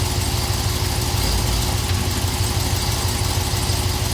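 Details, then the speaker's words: Camaro after the rear axle thrust washer TSB repair for a rear-end click, shifting between reverse and drive at idle with foot on the brake; a steady idle with a soft low throb and no clunk or pop into gear, so the clunk is gone. "Reverse. Drive. Okay, the noise is gone."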